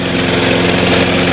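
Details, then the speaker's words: Snapper Big 6 P216012 mower running with new rear wheels fitted; loud engine with harsh scraping rasp as the self-propel is lifted, worn-out drive wheel's metal running against the pulley: drive wheel metal grinding on pulley. "so this drive wheel is completely worn out the metal is running against the pulley here which is making that noise"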